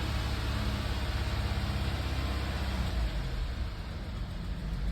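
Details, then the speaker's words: Audi A4 B8 held at 2,000 rpm, car shaking badly with no codes stored: low, uneven throbbing with an irregular pulse and dips; misfire, blamed on a swapped non-original intake in the description. "And I can see the car is shaking, you know. My car is shaking, it's bad."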